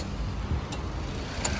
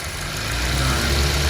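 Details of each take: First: Car idling with air conditioning on: sharp clicks about every three-quarters of a second as the compressor cycles on and off over an unstable idle rpm; faulty idle speed control step not raising idle for AC load. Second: Car whose idle RPM had hunted up and down with the aircond on, traced to idle speed control, now after the fix: steady low idle holding even with the aircond switched on and off, no hunting or stalling; normal idle.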